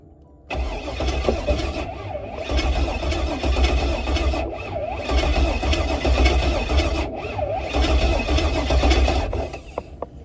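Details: Pontiac G8 project car after the fuel system was primed: the starter turns the engine over steadily at about four beats a second for nine seconds, but it never catches, crank no start.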